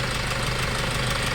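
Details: Hyundai Starex D4CB diesel, replacement engine fitted for blow-by, at normal temperature after road test: steady, even idle with low smooth beat, no misses or loose knocking; healthy engine.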